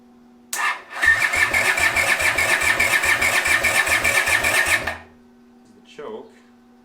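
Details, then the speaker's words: 500cc racing mower build, first start without radiator or coolant, fires and runs with a quick steady beat about four seconds then cuts out via kill switch; revs crept up, owner suspects it was running out of fuel. "oh my gosh kill switch works i think it started revving up because i'm starting to run out of fuel i'm assuming it runs that sounds sick"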